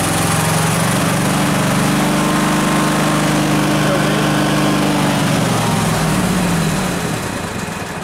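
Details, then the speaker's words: Craftsman DYS4500 lawn tractor, 26 hp Kohler Pro V-twin, slightly warmed up: runs steady then sags and dies with choke off, restarts with partial choke; runs lean, worse when warm, cause unconfirmed; engine stalling when choke off. "Fires up, chokes off, starts dying. Pull the choke out a little bit. Starts right back"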